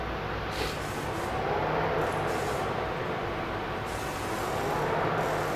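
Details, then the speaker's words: PT Cruiser replacement cooling fan actuated to high speed via relay test: strong, steady rush of air with no rattle, scrape or bearing whine; the old fan had no strength. "can hear the difference its strength behind this new fan"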